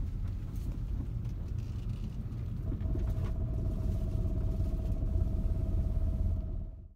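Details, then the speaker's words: Honda CR-V/Element 4WD on full turns: a low rolling rumble, then a steady groaning moan rises as the car turns hard. The rear differential fluid is worn and needs changing with Honda Dual Pump II fluid. "Now, listen. That noise on the full turns means your differential fluid needs to be changed."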